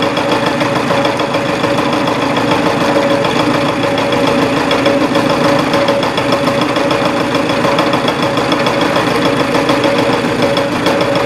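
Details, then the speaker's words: Reverse boring on a milling machine with 0.020 in cuts: a steady, rough machining roar with uneven hammering chatter through the heavily interrupted cut. The finish is better than expected. "so here's a what 20 thousands inch cut sounds like you it's still highly interrupted and hammering but the finish is not near as bad as I thought it would be"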